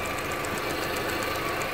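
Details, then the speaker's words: Volkswagen Golf TSI at warm idle, after heater hose coolant work: fast, light, even ticking over a smooth idle, spark-like. Normal fuel vapour (EVAP) purge solenoid clicking, common on VWs, varying in speed. "over the years of people have come in worrying about that noise because it does sound like a spark plug shorting out or a lead or a coil but what that is is that that's the fuel vapor solenoid as they warm up it'll go click leak leak"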